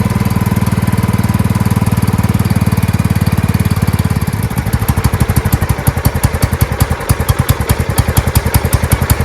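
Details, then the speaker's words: Marching band hauler small engine whose carburetor flooded, fuel pouring out the muffler on first start; owner suspects clogging and a needle not seating; full-throttle pounding turning uneven and lumpy; carburetor flooding. "but as you did see it there is something going on with the carburetor because on the first start there was fuel that poured out of the uh Muffler"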